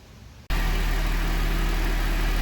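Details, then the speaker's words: GMC Acadia first startup after head machining and engine reassembly: abrupt catch into a loud, heavy, steady drone, very noisy for about 30 seconds until oil was pumped up, then running with no leaks. "but made a hell of a noise until I got everything pumped up but it's going now"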